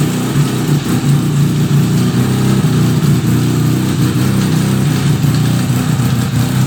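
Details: 1975 Suzuki RE5 after full restoration: a loud low rumble with rapid repeating pulsing over the engine tone and slight rev changes; abnormal transmission noise, cause unknown, engine to be removed to inspect the transmission.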